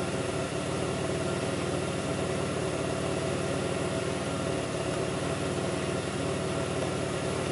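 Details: 2002 Pontiac Grand Prix 3800 V6 at idle, no check-engine light, alternator overheating; faint intermittent thumping pulls the idle down. Low drone with an uneven, lumpy pulse and occasional stumbles: rough idle, cause not yet clear.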